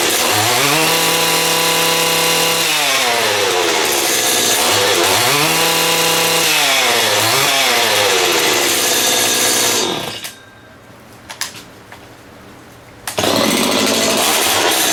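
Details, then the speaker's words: STIHL two-stroke trimmer, unused for about 2.5 years, freshly fueled, primed and choked: high wail climbs and falls with each throttle blip, then settles to a quiet idle; revs cleanly, normal running. "Give her some of that, give her a good choke. Oh, holy, eh? This hasn't run for 2.5 years, I'd say."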